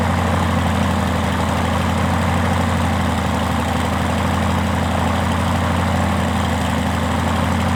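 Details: Rotec R2800 110 hp radial engine on an Aerolab LoCamp, about 6 years old but never started before, first start after reassembly from long storage: deep, steady, even idle with smooth low pulsing beat, no misses or knocks; healthy.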